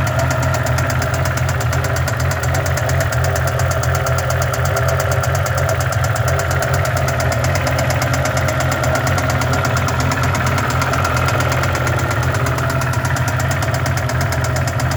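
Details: BMW M5 E60 at idle: a sharp, fast ticking knock rides over the low rumble the whole time. Cause not yet found; engine knocking.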